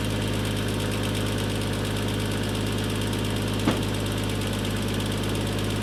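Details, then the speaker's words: Toyota Mark II JZX110 1JZ-GTE after turbo refit, first start after cranking to build oil pressure: steady idle with light fast ticking from the VVT-i, one sharp knock midway, exhaust blowing badly; normal valvetrain tick. "That tick-in is the VVTi."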